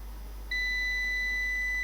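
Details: Old UPS on bench power supply, fault diagnosed by reverse engineering: low hum, then a steady high-pitched beep starts half a second in and holds; pin 12 reaches 5 V then the unit shuts down, cause unknown.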